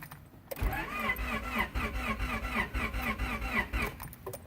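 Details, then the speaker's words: 1992 Honda Prelude Si 4WS that lost power while driving, RPM dropped, check engine light flashed, then died: steady cranking at about four beats a second but no start despite new distributor and plugs; owner suspects a jumped timing belt. "what it does are cranks but no start"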